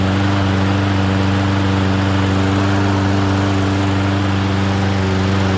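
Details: Toro Recycler 22-inch self-propelled mower, single-cylinder engine, run after welding the broken left front wheel bracket, repainting and retreading the rear wheels, carburetor untouched; runs smooth and even at steady speed, no misses or knocks, healthy.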